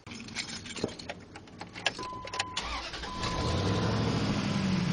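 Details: 2001 Dodge Durango started after replacing the upper radiator hose and cap housing and topping off the coolant; the starter cranks briefly, then the engine catches and settles into a steady, even idle with no knocks or misses.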